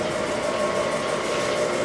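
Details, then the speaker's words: 1982 Aronson HTS20GE 20,000 lb headstock/tailstock welding positioner, rotation drive running in reverse: smooth even gear-motor hum with faint constant whine, no knocks or grinding; runs nice. "so on and this is rotation that's up and down so one rotation we go the other way it all runs nice"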